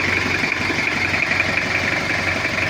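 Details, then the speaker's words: Toyota Kijang diesel with an overheating history, after cylinder head work and injection pump setting: cold idle slightly rough from cold fuel but an even, countable 1-2-3-4 clatter; healthy. "tapi kalau untuk suaranya rata ya Lur tekteknya itu rata dan bisa kita hitung 1 2 3 4 1 2 3 4 gitu jadi rata ini udah kita setting untuk bospomnya"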